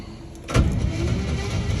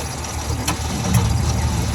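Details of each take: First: 1949 Ford shoebox sat 50 years, after freeing the seized engine and cleaning it out: the starter spins it over steadily without binding. It now turns over freely; the stuck valves still need freeing. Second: 1949 Ford shoebox after sitting 50 years, HEI distributor, gas poured in, timing possibly 180° out: engine turns over slowly with a dragging low rumble and sharp clicks, never catching.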